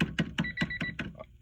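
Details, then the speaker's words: 1994 Honda Civic hatchback, hard starting; key-in-ignition buzzer after replacing the ignition lock cylinder: regular high beeps about five per second, no dropouts while key wiggled; buzzer working normally. "Wiggling it and you still hear the beep, so that's a good sign."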